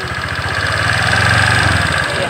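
Fast, regular ticking knock riding on the idling scooter engine, steady with each turn; worn connecting rod bearing.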